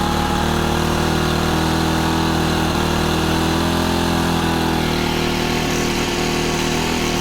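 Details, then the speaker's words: Honda FG110 with GX25 engine, new carburetor, previously ran only on half choke, idle turned up high to warm before tuning; raised even idle with steady pitch, no misses or knocks; normal fast idle. "So I'm going to turn the idle up pretty high, and then we'll lower it as we tune it. This is going to help get it warm too."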